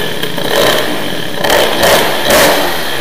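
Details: Teknix T6 two-stroke moped with BOOST cylinder head, crisp throttle blips rise and fall cleanly with a sharp crackle; it sounds much better, revving freely and running well.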